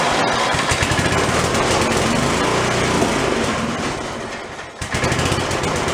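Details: Free roadside snowblower, small single-cylinder engine after electric starter repair (carb previously had acorns), started with choke and throttle; quick fairly even beat, brief dips, settles; normal running.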